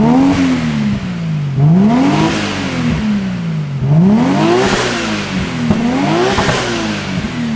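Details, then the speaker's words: Low-km Nissan R32 GTR straight-six, just started after adding fuel it had run nearly dry of, still warming up before an oil change: clean revs every two seconds, pitch rising and falling smoothly, no misses or rattles, high-pitched sound. Normal revving. "Now this thing purrs like a beauty."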